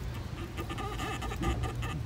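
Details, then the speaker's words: Removed original water pump from 2005 Ford Mustang 4.0L V6, turned by hand: rubbery, uneven rubber-on-rubber squeaks, thought to get worse when hot; worn pump, replaced along with thermostat and radiator fan. "you guys can hear that but she's really squeaky it's kind of like a rubber on rubber almost squeak there right but I think when it heats up it's uh you know Mak worse noise right"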